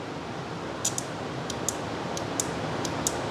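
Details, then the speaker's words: Five-pin automotive relay energized by touching positive to pins 86/85 with a circuit tester: sharp, crisp clicks, about ten over three seconds, above a steady hiss; the relay pulls in cleanly each time. "you can hear that clicking so basically that's how you will power a component um inside the car"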